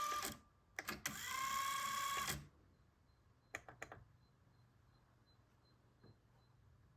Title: Onkyo TA-2800 Auto Accubias won't start